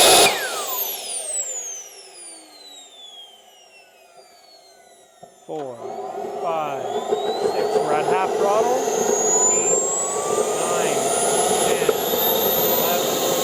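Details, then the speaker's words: CARF Rebel Hot RC jet's newly installed turbine after the restart check, which ran awesome. The whine sweeps down after start, then climbs into a smooth rising roar with throttle. Normal, clean turbine run-up. "very good engine ran awesome"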